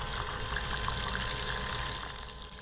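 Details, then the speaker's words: Small bilge pump powered from a car battery draining standing water: steady whir under rushing, splashing water with no stutter or labouring; pumps slowly but works normally. "and granted it is slow you can see that water going down very slowly but it will drain the area"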